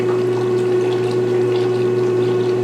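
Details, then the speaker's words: 1996 Maytag Dependable Care Plus washer, first load: steady low hum with clean even tone and faint water trickle, no rattles or grinding; drain pump quiet and healthy. "it's quiet because you don't hear the water draining is it draining holy it's so quiet you can actually hear the motor i love it"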